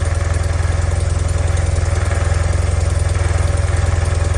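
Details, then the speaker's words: 1976 BMW R90/6 boxer twin with a rough past, after 5 years stored, cold-started at 28°F with choke on: even, rapid low thumping, smooth idle with no misses, no excessive smoke, only a slight seat rattle; normal cold idle on choke. "Sounds good. Idle's nice and smooth. This is with the choke on. Like I said, it's very cold right now. It's 28 degrees."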